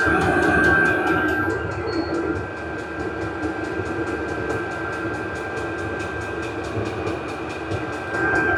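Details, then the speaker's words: Vevor 8 kW 12 V diesel parking heater turned up to maximum, exhaust muffler fitted, temperature rising quickly: steady fan whine with quick even fuel-pump ticking near three per second; normal full-output operation. "that's the exhaust muffler going to speed it up a little bit do the maximum [Music] and the temperature will raise quickly now"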